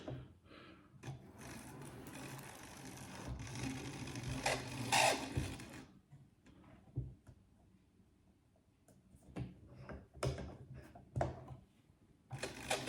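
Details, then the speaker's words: Vintage Hornby 00 InterCity 125 model train, motor and pickup wheels just cleaned, first run: small motor runs with rough, uneven rattling and short high squeaks; owner says he knows the cause, unstated, but it works. "It's making a squeaky noise, which I know exactly what it is, but it's working, and that's all that matters."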